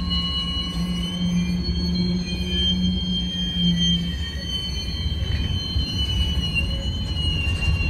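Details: Union Pacific 6644 freight train leaving Mesa Yard: steady high-pitched wheel squeals and clanging over rolling rumble; train stopped, blocked the crossing over an hour, was fixed and moved on.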